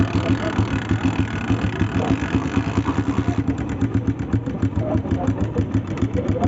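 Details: Honda 125 (91 model) motorcycle at idle: uneven idle with quick tapping about three to four per second over the thump; top-end ticking, suspected cam noise.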